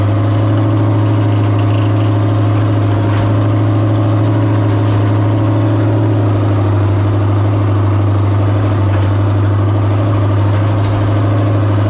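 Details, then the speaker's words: Mod figure 8 race car, steady engine idle with a faint constant power steering pump whine; fluid hoped to be just still bleeding air after work, idle otherwise improved. "I can hear the power steering pump making noise so I'm gonna check it hopefully it's good that's still just bleeding air off"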